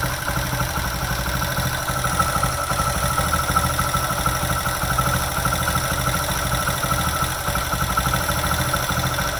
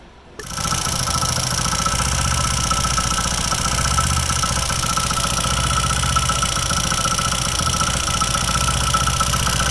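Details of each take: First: Bike after the loose plate on the magneto side was fixed with glue and the magneto retightened: steady even idle with light regular ticking from the top end, no rattle left; normal tappet noise. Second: Old-model Hero HF Dawn single-cylinder bike idling, fast light rattle from the magneto (left) side, traced by opening the magneto cover; loose magnet in the flywheel rattling.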